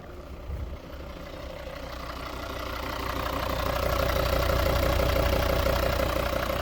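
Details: 2014 Volvo V40 D3 diesel with a steady, regular knock that grows louder as revs rise; owner suspects the injectors, unconfirmed.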